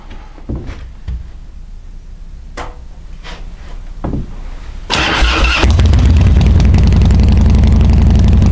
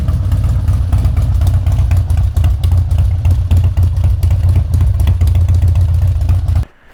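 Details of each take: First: Harley-Davidson Twin Cam Dyna Glide (FXD) with a vacuum petcock, before repair: sputtering catches, then a lumpy cold idle on choke. Spraying the intake raises the revs and pulling the choke kills it, an intake manifold vacuum leak. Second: Harley-Davidson Twin Cam Dyna Glide (FXD), 39,000 miles, after a CV carb rebuild and intake reseal: a deep, loping V-twin idle that fires evenly without stumbling, then shuts off; it runs healthy.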